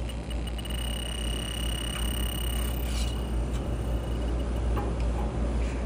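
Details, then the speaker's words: Rooftop AC unit at an apartment complex with a no-cool call, 76° supply air and a low-charge sound: a thin high leak-detector tone ticks quickly, then holds steady over a low hum, alarming on a refrigerant leak in the coils, where oil is present. "I found the [Music] source and she's going crazy right in them coils down there."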